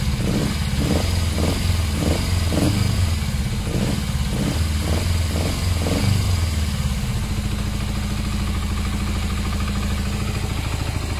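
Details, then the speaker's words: Motorcycle started with fuel poured directly into the carb and no airbox fitted. It catches at once, revs cleanly and settles to a steady, even idle with no misses; sounds very good: normal start and idle. "straightaway that sounds very good that one it starts it's idling revving it up but again it hasn't got the airbox on"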